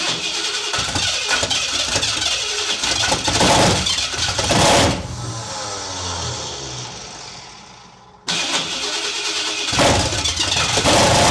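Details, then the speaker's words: Big block engine on open headers with TPS auto set, AFR reading about 35; starter cranks, engine catches and runs rough, then dies as the key leaves start. Cause unconfirmed, suspected lost power off crank. Engine stalls after cranking. "as soon as I pull back from the uh start it kills it so the power somewhere off the start is not giving it a go"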